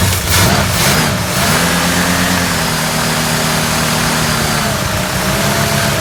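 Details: 70 or 71 Ford Torino GT with a 429, first start after about 15 years sitting, carburetor rebuilt: cranks briefly, catches, flares up, then settles into an even, steady idle with no miss or hunting; normal start and idle.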